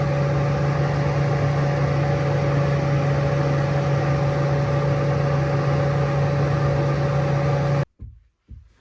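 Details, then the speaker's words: Heater blower in a skoolie bus fed by a 45k BTU diesel Webasto, switched by a line thermostat: steady even whir with a low hum, no rattles or surging, then it shuts off; normal operation. "The way I wired my fans on my heaters is I pulled a hot wire from the fuse box to this thermostat. It's a line thermostat. Anyways, when I turn it on, turns on the fan."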